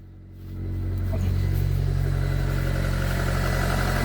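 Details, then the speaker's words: 1999 Mitsubishi Pajero iO (Pinin) after a cranking-no-start fix on the high-pressure fuel pump, running without the bottom piece refitted: catches and settles into a steady, even idle, smooth low hum, no misses; normal idle. "it's running like a dream all right guess I better put the bottom piece back on"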